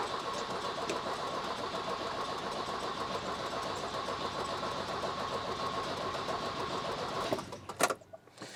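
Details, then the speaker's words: Volvo 240, previously running on a remote petrol bottle, won't start since refitting the tank; cranked on full choke. Steady, even starter whirr turns the engine over but it never catches. Crank, no start; weak spark suspected, distributor dirty. "So we're just going to try cranking it now and seeing if it fires up, because I've touched it, you know, in its special place."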